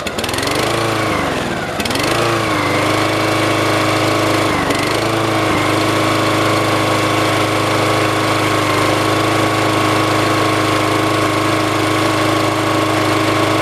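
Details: Brand-new petrol lawnmower on its very first start: catches, surges a couple of times, then settles into a steady, even drone with no misses or knocks; runs healthy. Run-in advice is about 15 minutes at varied, part throttle.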